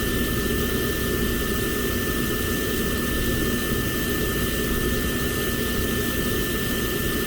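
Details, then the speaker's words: Lanair MX 300 (300,000 BTU) waste oil heater burning used oil, fired by thermostat after its yearly cleaning; even, steady roar of fan and flame with a constant high tone and no pulsing; a good, clean flame. "So that's a nice good flame, as you can see from this little chart here."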